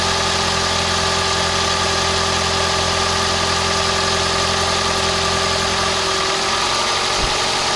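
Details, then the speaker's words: 2011 Toyota Camry Hybrid 2.4L four-cylinder idling after a spark plug change, done while chasing white smoke on start-up: smooth, steady hum with no rattles, misses or extra noises and no check engine light; normal idle. "works fine no rattling no extra noises sounds good no check engine light or anything like that"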